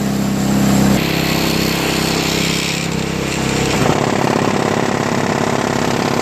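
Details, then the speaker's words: Craftsman 5HP 22" single-stage snowblower with homemade floor-mat auger paddles: engine drone turns into fast rough scraping chatter, about three per second, as the new paddles rub the scraper bar; owner considers trimming them more. "y kind of hits the scraper bar I don't know if that's good or not I mean it will eventually just rub out but I don't know if I should trim a little bit more off because it's hitting the scraper bar"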